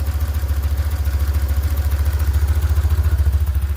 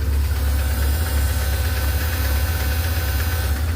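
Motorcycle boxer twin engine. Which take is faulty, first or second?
second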